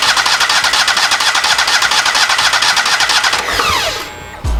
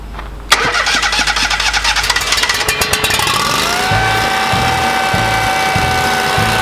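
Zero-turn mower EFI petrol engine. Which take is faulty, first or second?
first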